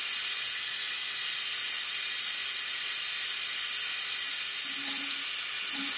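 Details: Air-compressor-driven brake fluid evacuator removing fluid from a 2004 Ford F-150 master cylinder during a master cylinder replacement: steady airy hiss from the venturi with no sputter or pulsing, working normally.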